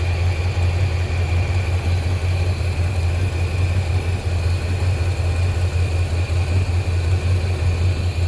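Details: 1987 squarebody Suburban with swapped 454 big-block V8 (SM465/205), new exhaust, engine hot, after reseating a loose plug wire on cheap wires: even, steady low rumble at idle, no skips or stumbles. Normal idle.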